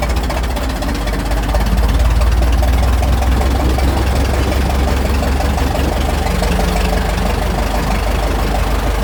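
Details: Restored 1921 American LaFrance fire engine (Licking County Fire Dept.), restoration finished, on a ride: deep, steady low rumble with an even beat and no uneven knocks; big old petrol engine running smoothly and healthy.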